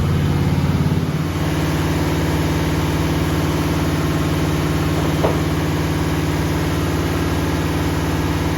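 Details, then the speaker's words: Ford 292 C2AE Y-block V8, new camshaft breaking in at 2,000 rpm after a slight distributor adjustment, oil pressure good: steady, even drone with no knocks or misses; running normally. "So right there on it, we're at $2,000. And oil pressure looks good too. So far so good right now."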